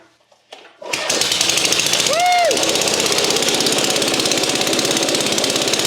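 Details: Vintage Craftsman Eager 1 mower with no governor, apparently once under water, after valve clearance work and reassembly, on choke: catches after a short crank and settles into a fast, even, steady beat with no misses or knocks; running normally.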